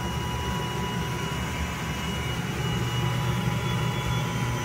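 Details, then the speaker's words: Gas hanging heater running: a steady high whistle over the burner rumble, caused by gas flowing through an undersized half-inch corrugated flex hose off three-quarter-inch pipe; fix is a three-quarter-inch flex hose. "number one is the gas flowing through this corrugated pipe will cause the noise and also the gas flowing through a undersized flex hose will cause this"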